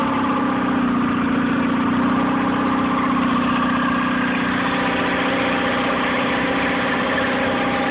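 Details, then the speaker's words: Nissan 9.8 outboard, first start, choke on, cold day, water on: steady low idle with slightly uneven, shaky beat; owner unsure if not warmed up or off-idle needs adjusting; rough idle. "So, started on the third pull. It runs. It's a little rough."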